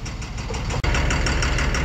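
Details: Tata 2518 BS4 tipper diesel truck at idle, complaint of black smoke, vibration and tractor-like knocking: sharp metallic knocks about seven times a second over the idle; faulty injector suspected.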